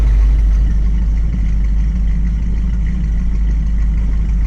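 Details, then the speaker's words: 1969 Ford Mustang convertible V8 at idle after an engine cut-out fix and a louder exhaust mod: deep, steady burble with an even lope and no ticks or misses; idle speed perfected, exhaust loud but not obnoxious; normal healthy idle. "The exhaust noise is loud enough, but not too loud that it's obnoxious."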